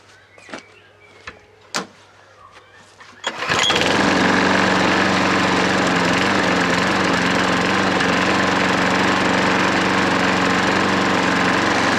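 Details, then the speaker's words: Hayter 43 lawnmower restarting after hydrolock cleared, oil overfilled; few clicks then catches first pull, settles into steady even run without stumble, barely smoking; starts and runs healthy. "No, I didn't expect that to start like, as well as that. It ain't really smoked either."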